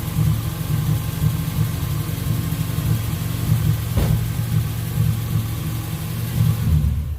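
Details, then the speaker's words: Car after its fuel injectors were cleaned and flow-tested: revs up and settles smoothly with an even, deep exhaust note, no stumble or popping. The earlier noise and 3,000 rpm lean spike, first blamed on the ECU, are gone. "alright guys so obviously you didn't hear that noise what it was doing before"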